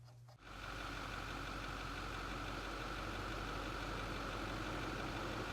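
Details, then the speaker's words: 2008 Ford F-250 6.4L Powerstroke V8 diesel idling with slightly uneven loping clatter from one misfiring cylinder; complaint of low power and rough running. "this particular truck has come into our shop with a complain of low power and rough running"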